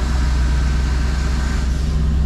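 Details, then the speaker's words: Mercedes G-Wagen just restarted after starter replacement and fixes; deep, steady idle rumble, even beat, no knocks, ticks or hunting; normal idle. "all right engine sounds good nice and smooth fully assembly all look straight sounds good all right idle"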